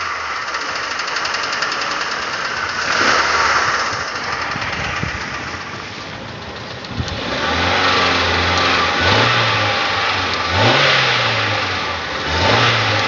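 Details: Nissan Almera 1.8: terrible engine knock, a rough rapping knock over each throttle blip fading at idle; dipstick dry soon after topping up oil, oil spits from the exhaust 2–3 m when revved; cause unconfirmed.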